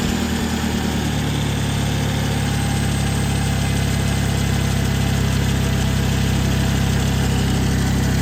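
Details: 2011 Toyota Camry after a serpentine belt replacement; it had lost power steering and fur was found in the belt area. Steady, even idle with a smooth low drone and no squeal or slap from the belt; the engine runs fine.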